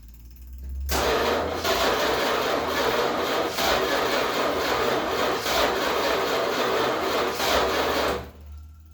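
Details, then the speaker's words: 1966 Chrysler New Yorker parked about 18 years, first start attempt via ignition switch after letting starter cool: starter churns engine sluggishly and unevenly, about three beats a second for eight seconds, no catch; slow cranking, owner suspects low battery. "I think your battery's getting a bit low now. Typical, come on. I think your battery's a bit low now, unfortunately."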